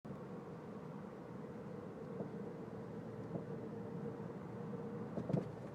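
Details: 2011 Ford Fusion SE driving: steady road noise with a few dull knocks near the end, a sudden clunk from the rear passenger side suspension, cause not yet found.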